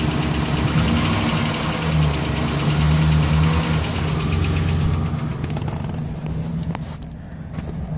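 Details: 2011 Silverado 5.3L V8, 126,000 km, after sitting 8 hours at +12°C: right after a hard start, a quick light ticking over an uneven idle with a duller knock beneath; valve cover with built-in PCV recently replaced; cause unknown.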